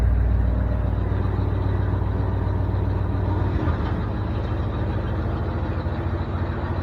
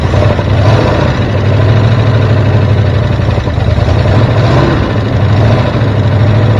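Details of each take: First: 1973 Ford F350 dump truck with the PTO engaged, temperature coming up, running on gas of unknown age: even, steady low rumble with no knocks or misses; it runs well. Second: 1973 Ford F350 dump truck (1976 cab, 1979 front) idling: slow, deep, lumpy V8 idle close to stalling. Idle is set too low and the idle screw is to be raised. The choke is wired so it can't close, and a vacuum leak is suspected.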